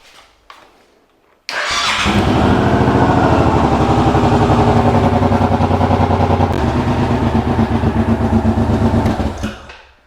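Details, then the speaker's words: Suzuki Boulevard M1500R V-twin started after repairs to the wiring harness: new battery terminals, a replaced starter relay and a soldered connector. It catches at once and settles into an even, loping beat of about three pulses a second with no misses; a healthy start. "Tá lá funcionando direitinho. Vamos ligar então? Só para confirmar que deu tudo certo."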